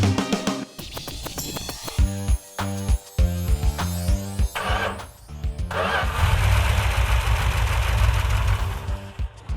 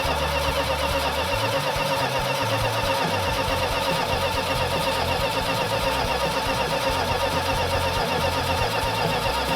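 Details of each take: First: Newly rebuilt 340 V8 after teardown for knocking (sand found in engine, low compression, ran on six cylinders): now settles into a steady, even idle with no knock; normal idle. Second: Freshly rebuilt 340 V8, after low compression was fixed: fast idle, won't idle under 2,000 rpm from an intake vacuum leak, with busy metallic tappet-like clatter; rockers and pushrods removed; sand later found dumped in engine.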